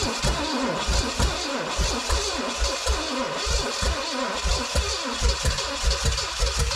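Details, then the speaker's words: 1969 Pontiac GTO, apparent Pontiac 350, sat about 35 years; retried with charged battery and cooled starter. Uneven chuffing and sputtering under the starter whir, barely catching. Owner thinks the starter is keeping it running, the cam is badly worn, and timing is being tweaked. "Oh, it's getting there. Oh, it's getting a couple pistons. Oh, it's like right there."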